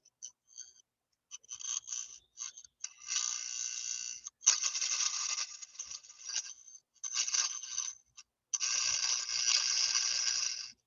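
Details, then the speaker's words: Electromagnet on 60 Hz alternating current from a transformer: raspy high buzzing in bursts as the attracted armature chatters from polarity reversing 60 times a second; normal, no vibration on direct current. "¿Por qué vibra? Bueno, vibra porque estamos trabajando con 60 Hz. Recuerden, entonces el campo magnético aquí está cambiando de polaridad a la velocidad de 60 veces por segundo. Entonces, por eso vibra."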